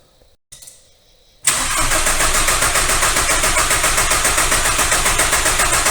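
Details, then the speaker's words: VW ALH TDI after replacing the injection pump head seal, with the injector fuel lines cracked to bleed air: a steady cranking rhythm of about three to four beats a second that never catches. It fails to start because of air in the fuel system. "so I went ahead and cracked these fuel lines and I'm gonna go ahead and try to crank it over now see if it helps"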